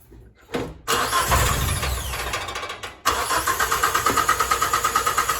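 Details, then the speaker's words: Geo Tracker no-start: cranking, a brief catch, then a second attempt with fast, uneven chuffing that never settles, so it sputters. The fault is intermittent; fuel pump and ECU tested fine. Owner suspects the timing belt jumped time, not confirmed. "uh they'll start it'll sputter a little bit i've tested the fuel pump i've tested the ecu don't have any issues there"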